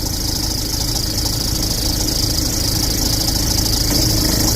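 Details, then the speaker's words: Ford Ranger MC, 300,000 km, original belt, pulleys and bearings never replaced, idling with A/C compressor engaged: loud rough rattling chatter, belt flapping and tensioner shaking; alternator overrunning pulley failure. "อันนี้คอมแอร์ต่อแล้วนะเนี่ยหมุนแล้วนะเสียงดังสนั่นหวั่นไหวเนี่ยสายพานฝั่งนี้สะบัดน่าดูเลยกระบะเป็นเจ้าเข้าเลยลูกรอกก็สั่นเป็นเจ้าเข้าเลยเห็นเปล่า"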